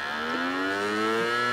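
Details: Samsung CD Master 52X (SE152L) CD drive: rising whine climbing steadily in pitch as the disc spins up, loud and slightly rough; noisy spin-up, cause unclear.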